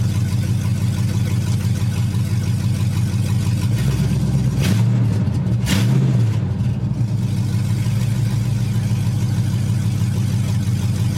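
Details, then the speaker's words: 5.3 LS-swapped third-gen Pontiac Firebird idling after a new fuel system install (stainless sending unit, braided lines, inline filter): smooth steady idle with two quick throttle blips that rise and settle cleanly, no misses or knocks; healthy. "Sounds pretty good to me. I'm gonna go check for leaks and stuff."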